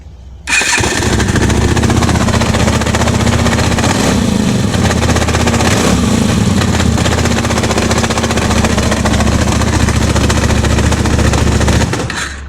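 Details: Motorcycle engine running steadily with an uneven, rough clatter over the exhaust note at about 220 beats a minute; strange noise began on the last day of a rally, bike pulled over and sent for servicing; cause not yet known.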